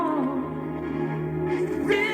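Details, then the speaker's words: Panasonic RS618 cassette deck (~1980), playing a tape it dislikes after plays others fine: music wavers and sags in pitch, warbling through held notes; unsteady tape speed (wow) with certain cassettes. "but that's only what the tapes it likes we have here freddie mercury the tape which it does not like and listen what"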